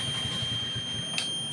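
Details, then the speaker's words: 70cc motorcycle that loses spark/current when hot, multimeter continuity test on the kill switch's white and black wires with the switch set to run: steady high-pitched beep that shouldn't be there, showing a shorted kill switch. "ये white और black ये देखा यहां पे beef की आवाज आ रही है। यह बीफ की आवाज तो नहीं आनी चाहिए।"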